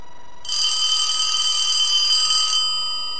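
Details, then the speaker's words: Elephant brass telephone, part 4 of an ongoing repair and redesign: a bright, fast metallic bell trill for about two seconds that stops cleanly while the board is held and rung. Normal telephone bell ringing. "but when you see me holding the board like this and ringing it i want to hang up the phone let that ring a couple times"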